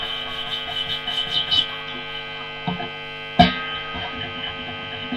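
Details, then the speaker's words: Harley Benton TE90FLT guitar at high gain: constant buzzing hum under scratchy rubs and a sharp thump as the body rubs against the player; the microphonic pickups pick up all handling. "And of course, with the higher gain, all the just rubbing the guitar off your body when you're playing, your arm on the side of it,"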